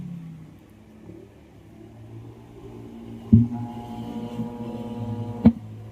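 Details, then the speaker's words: Altec Lansing 2.1 speaker system amplifier on bench, powered on: low steady mains-type hum under a couple of thumps; hum stops when input is disconnected, so fault lies in the input. "Yan may ugong nga mga boss. May haming oh."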